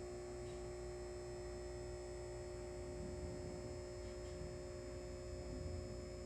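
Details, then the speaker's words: Halco/ProLume 70W high pressure sodium bulb, old with blackened arc tube, cycling at end of life: loud steady ballast buzz at one pitch. "So as you just saw, you may notice near the end of when it's about to go out, you noticed on the camera that the wavelengths were starting to slow down. And the ballast, as you heard, was starting to get quiet."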